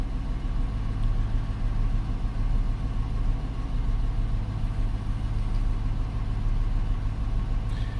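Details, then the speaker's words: 2018 Dodge Charger AWD police car, fuel pump remotely disabled via JDi Ghost Lock with ignition still on run: idle grows uneven and lumpy, starting to stumble; fuel starvation from the cut pump. "So, as you can see, it's not quite an immediate thing. It's starting to stumble. It's unhappy."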